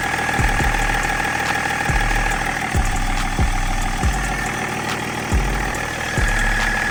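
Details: 2005 Range Rover L322 TD6 diesel, 190k miles, restarted after fuel system priming cycles following roadside stalling: steady even idle with light normal clatter, no misfire or stumble; healthy diesel idle.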